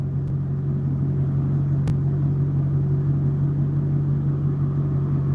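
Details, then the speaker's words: V8 idling: deep, even rumble with the revs wavering slightly, climbing about 50 rpm and settling. The owner asks whether these minor fluctuations are okay for this car. "Like there's like minor fluctuations like that, but that is okay, correct?"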